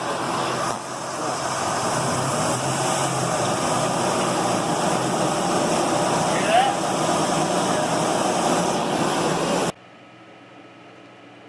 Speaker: was a noisy tire we were looking for, and we basically found that the tire itself was bad. Now, if we had seen the rim moving the same way the tire was moving, we'd know that the rim was bent, but the rim was running true, and so we determined that this was a problem with the tire.